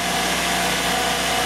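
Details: 2004 Saturn Ion 2.2 L Ecotec after replacing the ignition module: steady, even idle hum with a bright top end and no stumble; before the fix it had a P0300 misfire, no spark from one coil, and severe power loss.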